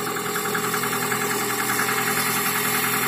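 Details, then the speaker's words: Toyota RAV4 started completely cold after sitting two days without starting, following a temporary fix of the ignition wires; even idle without any misfire, light quick tick about two to three per second; normal cold idle. "Машина стояла холодная Не заводилась 2 дня нет ровненько работает вообще без перебоя не шелохнётся"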